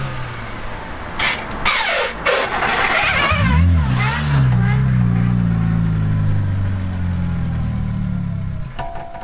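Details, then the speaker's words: Manual transmission car, reverse forced while rolling after repeated high-speed reverse attempts: harsh rasping grind in bursts then engine drone; burred, worn reverse gear teeth clash and won't engage. "It doesn't go into gear The gearwheels are rubbing against eachother You hear those grinding"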